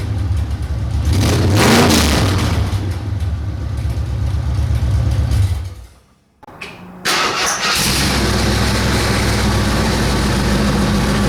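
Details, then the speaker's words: 1968 AMC AMX 401 V8 with freshly fitted driver-side headers, running open headers with no pipes: a loud, raw, deep roar rises with the throttle, cuts out briefly, then settles to a lumpy blat; the camera has automatic sound cancelling, and a big exhaust leak is expected. "So, but what I am going to do is throw the plug wires on it and start this thing and see what it sounds like with open headers. Probably won't do much."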